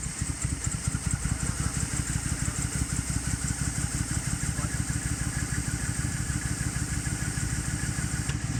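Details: 2008 Pontiac G8 GT V8 idling low and lumpy with a shake, like a cylinder dropping out; smooths at 2000 rpm, check engine light came on later; owner suspects dirty MAF, throttle body or throttle position sensor, unconfirmed.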